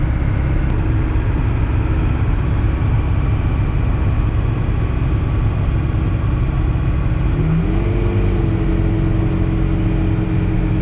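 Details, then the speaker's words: Turbo diesel pickup towing a McCormick-Deering 10-20 tractor uphill: a deep, steady drone under load whose pitch steps up near the end, with no knocks. Loses a little speed on hills but still has power; healthy. "Well, I guess she does lose a little speed. Might have to look into that. She's still got power though, that's for sure."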